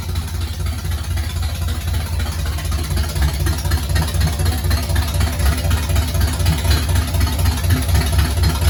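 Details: 1969 Pontiac GTO barn find, Pontiac 400 V8 with TH400 and Quick Fuel 750cfm carb, first start after 17 years: deep, even V8 burble around four pulses a second, no knocks or misses; healthy idle.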